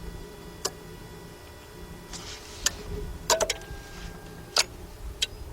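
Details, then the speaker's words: Lexus LS460 that does not crank or start: sharp isolated relay clicks over a faint electrical hum when trying to start, with no starter motor turning; a green indicator light goes out when starting. "matter of fact, you hear the relay clicking? Yeah. The relay's clicking. Yeah, I hear the relay clicking."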